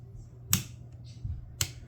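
Two sharp, isolated clicks about a second apart in a quiet room; the dimmer switch is clicking as it fails.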